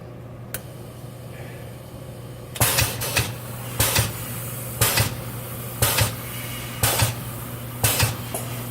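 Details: K&S 973 substrate cleaning/washing station running a shortened recipe with lid closed; steady low hum with regular whooshing bursts about once a second: normal wash cycle.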